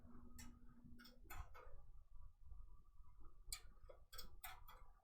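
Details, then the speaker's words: During daily rotary hook maintenance on a sewing machine (advanced interface), the machine runs the trimmer back and forth, pushing open the bobbin-area thread-holding spring; faint irregular light clicks and ticks in a quiet room, normal trimmer cycling. "can hear that trimmer moving back and forth, and what that's going to do is that's going to push open this spring."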